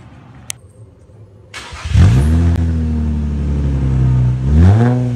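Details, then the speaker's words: Infiniti G35 sedan after welding repairs to rusted exhaust; engine starts and revs twice with a raspy, puffing edge, sounds fine from the rear but leaks up front at the flex pipe; exhaust leak at front flex pipe. "Hear how loud it's leaking from up there. There's nothing I can really do about the flex pipe at this point in time"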